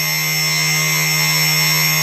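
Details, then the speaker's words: Myflydream motor, unloaded, with a slightly warped part that amplifies the effect: steady high whine with a rough edge and noticeable vibration under throttle; owner suspects a bearing. "and so I'll give throttle you can quite a bit of vibration"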